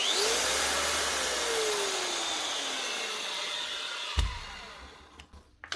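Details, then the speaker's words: Metabo MFE40 twin-blade wall chaser running free: harsh, rough whirr, whine falling as it spins down; something wrong in the head, bearings later found needing replacement. "We'll run this one and see. Yeah, there's something wrong here already."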